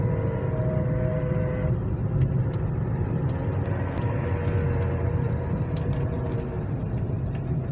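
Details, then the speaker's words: Hyundai ix35 driving at around 40 km/h: steady droning hum from the front over heavy low road rumble; suspected hub bearings are to be replaced, though the mechanic doubts they are the cause. "слышали да вот короче такой звук звук не понятно от чего и надо этот звук каким-то образом идентифицировать"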